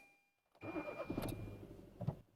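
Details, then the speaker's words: Petrol engine with four ignition coils, the fourth coil deliberately disconnected: it cranks, catches and runs lumpy and knocking on one dead cylinder, worse on throttle; the check engine light later flashes. "Aracın vuruntulu çalıştığını hissediyorum Ama henüz motor arızasını ekranda göremiyorum"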